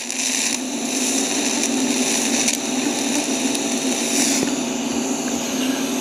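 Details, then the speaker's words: TIG welding over galvanized steel with a standard steel rod; steady hissing arc buzz with scattered crackles and pops as zinc coating burns, milky puddle and porosity; fix is grinding off the zinc. "You see how it's kind of like you hear it burning and popping. It'll get milky and you get porosity."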